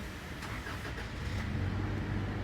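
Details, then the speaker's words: Toyota Fortuner that cranked but wouldn't start with no check engine light, after bypassing the faulty integration (main EFI) relay with a direct battery supply; brief cranking catches quickly into a steady low hum: normal start. "Yun, oh, umandar siya. Ibig sabihin, ang problema niya yung integration relay."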